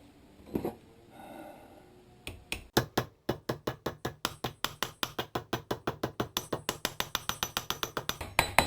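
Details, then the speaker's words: Boat trailer wheel hub bearing replacement: grease seal tapped in with a steady run of sharp hammer taps, about five a second, ringing solid metal all the way round, meaning the seal is fully seated. "You hear the metal all the way around? That means I got it in as far as it needs to go."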